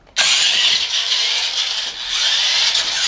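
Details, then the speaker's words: Maisto Tech rock crawler RC with upgraded battery packs, running faster: loud high-pitched gear whine and grind, steady; gearbox extremely dry with no oil or grease, not broken. "if it sounds really bad like some of my gears are broken it's because um the gearbox in mind is extremely dry and it doesn't have any oil or grease in it to keep it from making all that noise so it's a little bit loud but it's not broken in any way"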